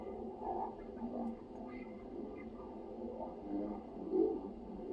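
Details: Sound Belle reel-to-reel tape recorder: quiet, muffled, dragging voices at an unnaturally low, wavering pitch, as the tape plays back at the wrong speed.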